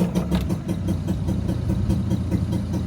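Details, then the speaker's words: Boat engine newly installed after transmission rebuild, idling with loud pulsing huff of air through an open intake lacking snorkel and filter; exhaust leak also suspected. "You hear that loud noise? That's the intake. I need to put an intake kind of snorkel and filter on it."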